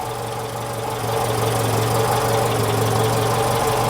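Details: Citroen GSA idling with a battery resting at 12.4 V, where about 14 V was expected: a constant low hum and a faint steady-pitch whine that grows slightly louder; charging or alternator suspected. Whining noise at idle.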